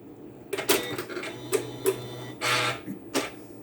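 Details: Two-year-old Janome Memory Craft 9450 sewing machine turned back on: several short clicks and soft chirps, brief low motor hum, then quiet; normal startup.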